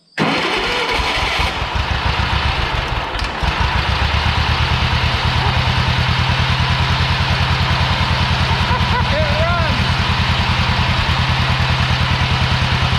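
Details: Old Yazoo commercial zero-turn mower with 76-inch deck, started after sitting in a barn for many years: fires within a second and settles into a steady, even idle with a regular beat, no misses or knocks; sounds healthy.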